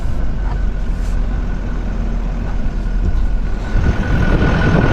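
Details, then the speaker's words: 2024 Chevrolet Silverado High Country Duramax diesel after replacing a turbo damaged by plastic, in the yard: steady low diesel rumble at idle, even note, no whistle or whine; turbo sounds healthy. "That sounded way better, so everything should be good now, I'm pretty sure."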